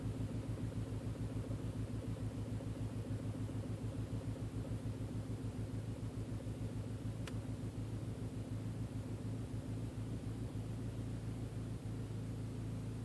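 Low rumbling idle with a pulsing beat about three and a half times a second, slightly uneven; engine idling rough.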